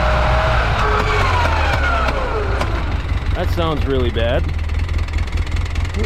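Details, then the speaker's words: 2011 Polaris Ranger 800, driving in low range: steady engine rumble with wavering gear whine, noisier than high range; noisy transaxle, sounds like a missing tooth; teardown showed it beyond repair, replaced with new unit. "definitely missing a tooth out of something if we try low range a lot noisier right off right from start"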